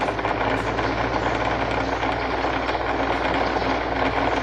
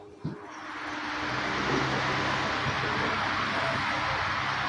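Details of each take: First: Electric fan running with steady hum and continuous gritty rattling rub: excessive end play on the motor shaft lets the blade hub rub; fixed by replacing the fan shaft. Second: Electric fan after fixing excessive shaft end play caused by a melted shaft lock from long use: smooth, even airy whoosh with no rattle; fan now runs quietly and normally.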